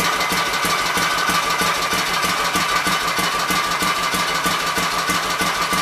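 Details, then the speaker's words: Kohler K241 single-cylinder engine, likely off a Gravely 810, revived after mixture screws set to three turns: even, regular popping beat at steady idle, no misses or surging, not really smoking. "i'm happy with that guys we have to sit there and run it wasn't really smoking or nothing"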